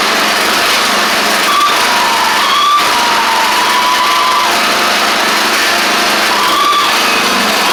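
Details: Craftsman DYT4000 riding mower running and driving after a faulty seat safety switch was suspected: loud high-revving engine roar with a faint wavering whine near 1 kHz coming and going; owner suspects the pulleys, maybe needing WD40, unconfirmed.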